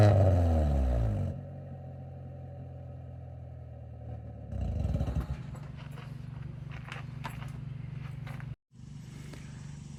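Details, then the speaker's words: 1996 Honda Civic CX with D-series engine, idling and blipped on a worn eBay aftermarket exhaust before replacement: deep boomy drone and raspy blat on throttle, loud and harsh; one of the worst-sounding Civics the owner has heard. "I'm getting at and how this this honestly is like the worst sounding one of the worst sounding Civics I've ever heard. It's It's pretty bad."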